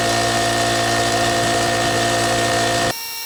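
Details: Brute 10-gallon air compressor after pressure switch replacement (old one leaked), testing that it builds pressure and shuts off: steady, even motor drone that cuts out sharply near three seconds; running normally.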